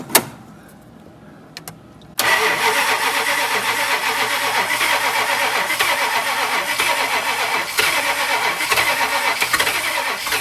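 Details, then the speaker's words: 1965 Chrysler Imperial LeBaron, Edelbrock carb, fuel line disconnected: after quiet cranking clicks it fires abruptly, running slightly ragged on leftover fuel; flooded engine, carb needs rebuilding. "fuel it's flooded um i disconnected the fuel so whatever fuels in there is just whatever's left over from it being flooded"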